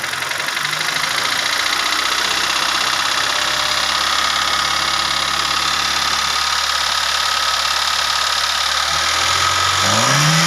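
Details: Hyundai Reina petrol engine idling with a rough, fast knocking tap, then revving up at the end; engine knocking, cause unknown.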